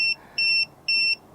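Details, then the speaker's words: Guta RV TPMS monitor just after pairing its sensors: steady high beeps at about four pulses a second in a regular on-off pattern. Sensors are not yet on the tires, so it reads no psi or flat and alarms. "so it's going off on an alarm because i don't have them attached to the tire so it's thinking that uh there's no psi and the tire is flat"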